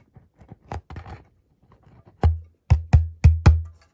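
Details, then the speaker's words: Marshall MG30CFX speaker after voice coil replacement, glue dried 3-4 hours: clean deep thumps around 100 Hz dying away smoothly with no rattle or scraping; the coil moves freely clear of the magnet, normal output. "The speaker sounds good and it's free from touching with the magnet."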